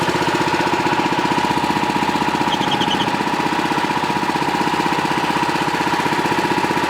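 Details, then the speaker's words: Pluk-O-Trak orchard vehicle, engine running at constant speed near the alternator V-belt: steady high-pitched squeal over fast chugging; owner suspects the V-belt is slipping. "dieses geräusch enten keilriemen wird sein dass wir sicher stark danach anders etwas rutscht hier"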